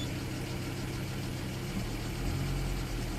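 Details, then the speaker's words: 2004 Citroen C4 1.4 petrol (KFU) with injector/purge open-circuit codes. With voltage fed directly, it starts straight away and idles steadily and evenly with no misfire. It shuts down when that feed is removed, so relay number two is suspected faulty. "let's start the engine and Bank on straightaway as you can hear running"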